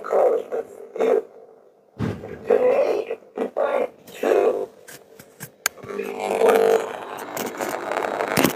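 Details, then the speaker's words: Razer laptop, very slow, CPU temperatures under 50 °C, fans spinning fine: audio playback breaks into choppy, crackling, robotic bursts with dropouts and won't load; failing SSD suspected as cause despite passing tests. "So it's going to make some sort of cracking noise. It's not loading up."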